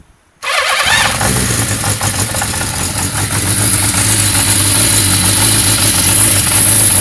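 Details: 1991 Yamaha XJ600 catches and settles into an uneven, lumpy idle with a stumbling beat that never smooths out; rough idle, cause not yet found.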